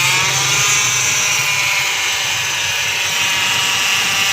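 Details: Hyundai Elantra engine at idle: steady, busy uneven metallic rattle high over the idle, timing chain noise.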